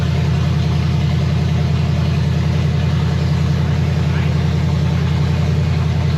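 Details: 1965 Chevy Nova wagon, 327 small block on open headers with Edelbrock Performer RPM Air-Gap intake, first fire, 30 lb oil pressure, water temperature 180: loud, steady idle with an even, deep, rapid pulse, no misses or knocks; normal idle.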